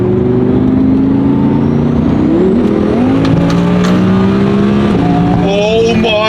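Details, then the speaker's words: Twin-turbo Audi R8, about 56,000-60,000 miles, new coil packs, pump 93 premium, Dynamic mode, after a 10-month issue: engine climbs smoothly through a long full-throttle pull with a shift, no stumble or cut-out; normal acceleration. "I have not felt full throt on this thing in so long that wasn't even full Boost holy holy crap we made it through a full pool"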